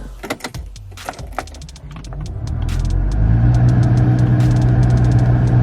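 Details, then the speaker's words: Mercedes GLA 250 A/C blower motor behind passenger-side dash, at higher fan speeds only: deep, steady low hum that builds and holds; blower motor vibrating, reportedly a harmonic balancer issue, fixed by blower motor replacement. "Sounds like the frickin' motor is on. And what it is the blower motor is vibrating big time on the passenger side."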